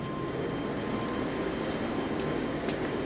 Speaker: see it's bringing up your stabilizing jacks